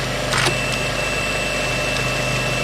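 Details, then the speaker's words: Old Western Approaches teleprinter being restored, motor powered up: steady even motor hum with faint high whine, no knocks or stutters; now idling correctly. "and now it's idling correctly and we'll try it with the other one"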